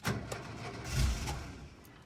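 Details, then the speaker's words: Volkswagen T2 Bay Window camper, over 40 years old, first start attempt after 18 months parked, cold: starter churns in uneven bursts with weak puffs, nearly catches but won't run; cranks, no start, owner suspects battery dying. "it nearly started on the second one it sounds like the battery might have died so let's just do it a minute we'll try it again"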